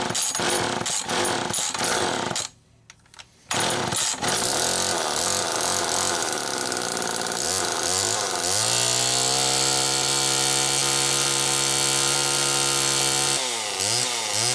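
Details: Homelite XL-2 chainsaw after clutch and carburetor repair: two-stroke snarls at high revs, bogs as it bites into wood, then holds a steady high cutting pitch; runs and pulls under cutting load.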